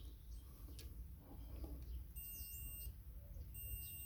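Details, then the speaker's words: 1978 Honda XL250 barn find with a rebuilt brake light switch refitted, continuity tester on the wiring loom. Pressing the brake gives two short high beeps over a faint rumble. Switch closes the circuit properly. "so if i stick my foot on the brake now there you go you can hear it beeping"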